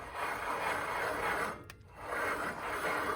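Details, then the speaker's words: Front wheel hub of a 2005 Ford Explorer XLT 2WD spun by hand before removal: rough, gritty metal-on-metal scraping swelling and fading, the bad bearing is shot; worn wheel hub bearing grinding, hub being replaced. "Sounds like metal scrubbing against metal. This thing is shot."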